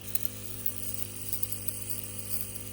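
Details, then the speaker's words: Solar pump drawing from a rainwater tote into drip irrigation: low steady hum with uneven ticks and spits as the pump labours and sputters; owner suspects poor suction letting air in on the intake side, or too much pressure for the pump. "I think the reason it was acting that way is cuz we didn't have good enough suction on this side. So, it was like trying to suck it in like cuz air was getting in there."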